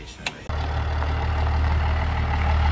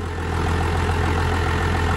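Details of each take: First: 12-valve diesel truck engine with a rebuilt long block, idling with a deep steady beat but a faint uneven miss; misfire. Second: 12-valve diesel truck after bleeding air at the number one injector line; steady low diesel rumble with even, light clatter, no misses; normal idle.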